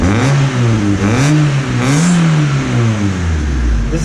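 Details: Honda Civic with its stock muffler, before an aftermarket muffler install; several smooth throttle blips rising and falling evenly with a deep, muffled, even exhaust note. Healthy stock system.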